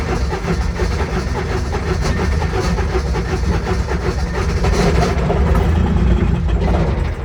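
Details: Intimidator diesel UTV hard start after glow plug switch held over 3 seconds, with gas: rough, uneven cranking rumble and whirring grind, no catch; starter Bendix slipping; owner also suspects glow plugs not working.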